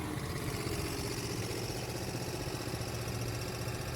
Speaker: If you have any idea what might be causing this engine noise, let us know in the comments below.